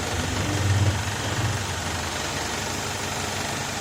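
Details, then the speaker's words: BMW E90 with a 2.0-litre N46B20 petrol engine and automatic transmission, engine running with the selector in Drive: a steady, even idle with a low rumble and no squeak or knock; the earlier squeak from under the gearbox is absent. "балин короче нет звука выключай"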